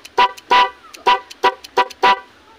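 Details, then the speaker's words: NHAY 3+ music horn wired with a relay on a motorcycle, ignition key on and horn switch pressed: six short, loud, steady-pitched blasts about half a second apart, the first horn pattern (number 1) working properly. "Yan yung sa unang tunog niya mga lods. Number 1 yan. Yan ay kung mag-aano kayo ng busina nito dapat steady."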